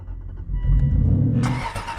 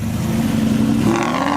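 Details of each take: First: Aston Martin V8 Vantage cold start after shop repairs: starter whirrs, V8 fires with loud flare then settles to a fast, even cold idle; not the best cold start sound but not terrible, healthy. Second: Cheap Aston Martin V8 Vantage, decatted and tuned, revved high along a driveway after shop repairs: hard rising rev with raspy, rough pops and crackles, sounds like a rally car; owner finds it awful and undrivable in public.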